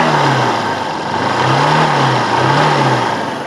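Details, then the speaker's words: Hero Honda Hunk 150 single after complete engine rebuild, in neutral: three clean throttle blips rising and falling smoothly with no knock, tick or rattle; previously smoked and leaked oil, now healthy. "अभी देखो neutral करता हूं और देखो अब आवाज सुनना आप आवाज सुनो भाई कितनी देखो कितनी मस्त आवाज"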